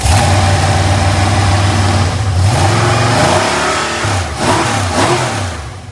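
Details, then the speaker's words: Possibly 2002–2003 LS 5.3 LM7 V8 with a likely BTR Stage 2 truck cam on a runstand with a light 5 lb stock flexplate, after a few start cycles primed it: crisp free revving, strong throttle response, valve train noise gone. "the Val train nose is completely gone it's got a lot of throttle response"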